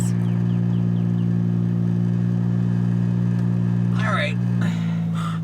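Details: 2007 VW Jetta MK5 2.5L with rusted-through exhaust, effectively straight-piped from the downpipe, driving: loud, steady low drone that rasps raw under throttle, quieter off the gas; exhaust blowing open at the downpipe joint.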